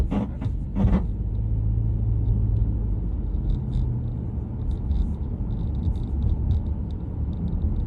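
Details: 2022 Subaru Legacy going over a bump: a few sharp clunks in the first second, then steady road rumble; suspension noise, cause not yet found.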